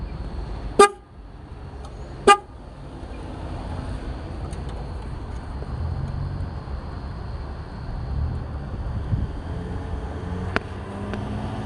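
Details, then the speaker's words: 1996 Ford Bronco horn after repairing three pulled-out horn wires: two short, clear honks with a steady, full tone over quiet outdoor background; normal horn operation. "let's try that again maybe i'll get a better sound that that first one was what it was supposed to sound like"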